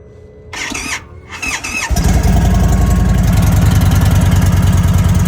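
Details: 2023 Indian Sport Chief, 116 V-twin, brand new with 222 miles: after start-up it settles into a lumpy idle with a steady high whine riding above it; intake air leak whine.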